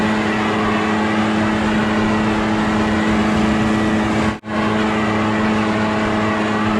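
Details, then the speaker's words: Echo PB650 two-stroke backpack blower, barn find unused about 5+ years, running on fresh gas while clearing a roof and gutters: steady, strong high-pitched drone at even revs under load, one brief cut near four seconds; healthy. "so it's working pretty dang good what I do is I start to Ridge and blow all the stuff down towards the gutters and then come back"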